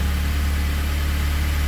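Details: Honda K24 engine swapped into a CRX on Haltech, just started after wiring oil and fuel pressure sensors, no warnings: steady, even low hum with no misses, ticks or hunting; smooth normal idle.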